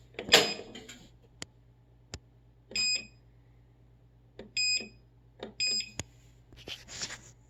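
Short triple-tone beeps repeat every second or two over a faint background hum, the washer's alarm pattern when it refuses to start. Cause suspected, not confirmed.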